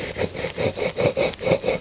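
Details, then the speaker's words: Yamaha XMAX 125 with a whistle rising with speed, transmission casing opened: worn bearing turned by hand gives a gritty scraping rasp with hard spots, swelling and fading slowly; bearing judged dead. "ce roulement là il fait vachement de bruit il y a même des points durs ah ouais c'est sûr c'est ça"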